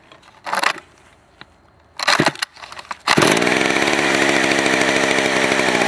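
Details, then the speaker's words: Vintage West German STIHL 041AV 61cc two-stroke chainsaw, run after sitting a year with stuck rings freed, smoking badly, gives a few pulls and pops then a loud, steady high buzz without surging or dying; normal running. "so here we go I'm going to fire it up um you guys show you how how it runs it is [ __ ] loud like crazy"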